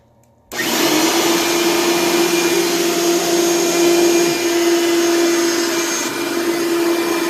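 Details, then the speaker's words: Heavy all-metal blue upright vacuum running: steady motor roar with a constant mid-pitched drone; brushroll sounds rough and needs work, probably a new belt; bag half full. "well the brushroll sounds like it needs some work and uh probably needs a new belt obviously it needs a new bag since the bag's like half full"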